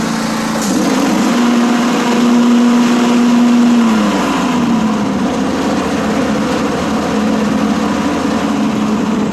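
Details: John Deere S140 riding mower with 48in deck, reinstalled after belt, idler and spindle service: steady engine drone with a smooth blade whir and no grinding or chirping; a properly working deck.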